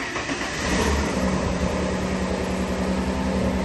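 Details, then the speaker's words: 2.5 V6 Busso (CF2) Alfa Romeo 156, one owner from new, just after fitting six new plugs and coil packs: low idle still uneven and lumpy, a slight putt-putt from the exhaust; misfire had been caused by old plugs and cracked coil packs. "No, there's still a little putt-putt from the exhaust. I can just hear it still."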